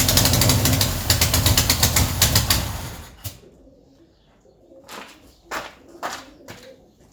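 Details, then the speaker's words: Ford Escort revived after 14 years neglected, fuel pump connected to the feed line of a carby of unknown condition: rapid, even starter churning that never catches, then scattered clicks; cranks but won't start, and the bowl isn't filling, cause unknown. "No fuel in there yet. I thought that would have been pretty close to filling up by now. Still no fuel. I wonder why that is."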